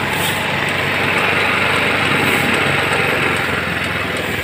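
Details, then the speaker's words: Motorstar Easy Ride 150 motorcycle converted to battery-operated ignition with a Win 125 CDI over weak ignition output: steady, even idle putter at about four beats a second, no misses or stumbles, a normal idle. "Okay mga boss, ayan, umaandar na nga siya no."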